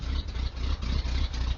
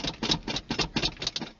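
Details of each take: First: 1980 Ford F150 351M V8 on a cold day: deep steady idle with an even, slightly lumpy low beat, no knocks, misses or ticks; normal idle. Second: 1980 Ford F150 351M V8, factory two-barrel carb with choke disconnected, cold winter start: several slow cranking bursts, a pause, then it catches and settles into a rough uneven cold idle; fires right up, a little cold-hearted.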